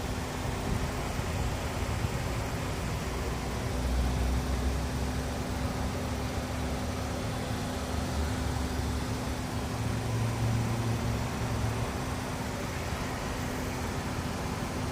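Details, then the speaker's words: Car giving a steady, fairly low whine from a wheel over road rumble while braking; owner suspects worn pads or the bolts, cause unconfirmed. "I don't know what's going on with my wheel. Why it whines when braking. Maybe the bolts or the pads are worn off. It really whines when braking."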